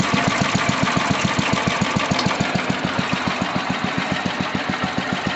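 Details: Sears Suburban 12 hp Craftsman tractor after carburetor repair and mixture tuning, idle turned down as low as it will go: a slow, even putt-putt at about three and a half pops a second; healthy, very low idle.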